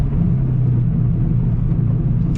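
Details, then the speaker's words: Exhaust drone at highway speed from new cheap exhaust and muffler; heavy steady low boom with almost no top end, owner says it sounds really bad, better under 3000 rpm; exhaust drone. "i'm sure on a stock like with stock cats yeah i can't take it it is it's really bad it sounds like absolute gorgeous garbage"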